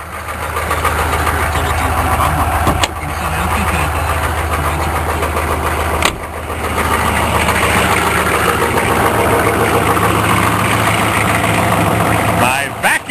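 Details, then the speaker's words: Diesel idling steadily after a cold start in snow following glow plug cycle; a quick tick, about three or four a second, rides over it; owner describes a new noise under the hood and blames the vacuum pump. "yeah my vacuum puff is getting noisy it's time for a new V vacuum pump real soon"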